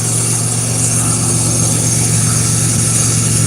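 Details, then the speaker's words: Pontiac Grand Prix GT engine idling: steady low hum with rough, gritty grinding from a shot AC compressor, barely turning and needing attention soon. "You can hear that AC compressor really grinding down there. I'm sorry about that, guys. This sounds terrible. It's really grinding hard."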